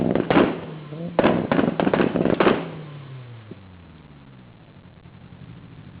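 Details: 600 bhp Evo 8 MR: sharp irregular bangs and pops over a revving turbo engine falling back to idle; anti-lag firing in the exhaust.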